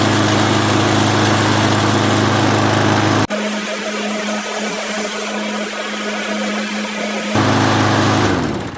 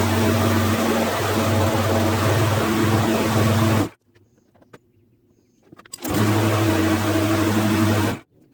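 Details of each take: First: Craftsman lawnmower that ran again after spraying carburetor cleaner: the small single-cylinder engine holds a steady, even buzz with no knocking or surging. A normal running engine; only a cable still needs lubing. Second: Craftsman lawn mower after cleaning: a steady loud engine drone with a buzzy edge that cuts and restarts, as the engine cover vibrates badly, likely loose from a missing screw.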